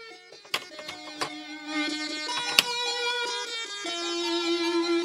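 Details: Commodore 64 main board; clean, clear chip melody with steady notes, no buzz or dropouts; sound chip working properly.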